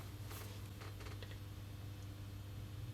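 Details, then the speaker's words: Second-hand ballast on a 400W high pressure sodium lamp: quiet, steady low mains hum, no harsh buzz; acceptable hum unlike another overloaded-sounding ballast, though the igniter is suspected shot. "that's a much more acceptable hum level but I reckon that ignit his shot no longer ignoring anything with that"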